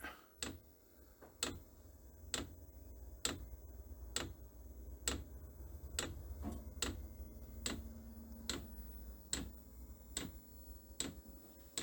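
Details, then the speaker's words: Chinese diesel air heater powered from a computer ATX power supply, starting up after the glow plug preheats. Quiet, sharp ticks about once a second over a low fan hum: the fuel pump is clicking normally. "Once that the unit is hot, normally it shuts down the glow plug, like a normal diesel engine. Oh, I hear the fuel pump clicking."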